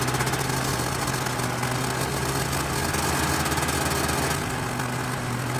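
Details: 1991 Yamaha Ovation snowmobile, two-stroke, unrun for about five years, after carb cleaner and blowing out the fuel line: buzzes along at a fast, steady idle with a light rattle on top, caught and running on its own; normal running.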